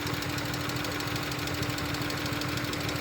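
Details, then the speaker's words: Rough, uneven idle with irregular stumbles in the exhaust beat and a steady hum behind it. Engine misfire with no misfire code set; owner suspects a big vacuum leak or the MAP sensor, cause unconfirmed. "I wonder if the map couldn't. Or I wonder if that big of a vacuum leak could make it misfire. Because it doesn't. It's not like it has a misfire code."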